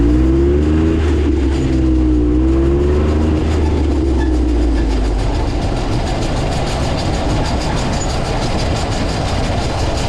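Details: Jeep Wrangler JK under way: a steady run of sharp clicks, roughly four per second, over road rumble, from the rear driveshaft.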